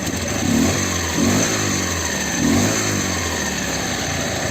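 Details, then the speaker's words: Dnepr motorcycle with a freshly fitted Ural twin and "bomba" muffler, on its first start: a lumpy idle with a sharp puffing chuff on each pulse. Exhaust gas is leaking at the pipe nut. "это было вижу что подтекает вот отсюда выходит газ"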